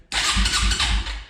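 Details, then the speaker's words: 2004 Suzuki LTZ250 quad, project bought cheap, after reattaching something barely hanging on, fuel tap off, lights not working: starter whirs and engine turns over at three to four compression pulses a second but never catches; cranks, no start. "Oh, wait a minute. We don't have lights. The lights don't work, but we did crank. Let's try that again."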